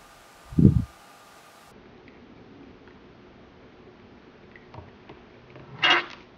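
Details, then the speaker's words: Water hammer demonstration rig without an arrestor: a dull thud, then a sharper bang as a quick-closing valve shuts on flowing water and the force rebounds back through the pipes. "without a water hammer Ruster in line to absorb that force it has to go somewhere so it's going to move through the pipes in the opposite direction it was flowing"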